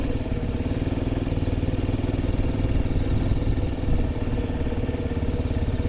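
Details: Honda Zoomer carbureted scooter (AF58): soft, regular putter about two beats per second, no ticks or rattles; quiet, healthy idle with no abnormal engine noise.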